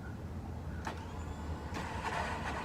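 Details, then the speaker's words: Toyota Camry 3.0 L V6, bad starter before replacement: steady low electric whirr with brief clacks, no cranking; armature spinning but solenoid not throwing the starter out, starter not engaging. "sounds like the armature spitting sounds like it's all up too but it sounds like the the solenoids not kicking the starter out so"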